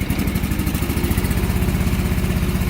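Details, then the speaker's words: John Deere 445 mower, twin-cylinder engine with a sporadic miss, plug wire pulled off one side so it runs only on the left cylinder during coil troubleshooting: uneven, lumpy, loping low thump, running weak on one cylinder. "so it's running kind of weak as to be expected"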